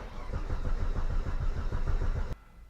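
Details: Volvo 850 after battery replacement, petrol engine cranking after fuel pump kicks in: steady rhythmic starter chug but it never fires; suspected cause being checked, possibly injector relay or an air pump unplugged.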